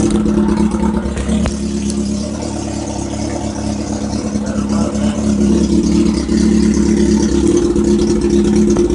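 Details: Kawasaki ZX7R inline-four, first start after a fresh rebuild; the no-spark fault was a new ignition switch missing the 100 ohm resistor on the grey wire. Fires and holds a steady busy idle, revs rise and fall cleanly with throttle; owner unsure whether timing is off.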